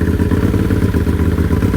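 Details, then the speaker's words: Built Can-Am Outlander 850 with performance cams, first start after engine reinstall, in gear; deep loping, choppy uneven idle pulse, unimpressive until on the gas, healthy normal cam chop. "Starts up nice. Again, doesn't sound impressive with these cams. It's not until you start getting on the gas that it makes sense. You can hear those cams already."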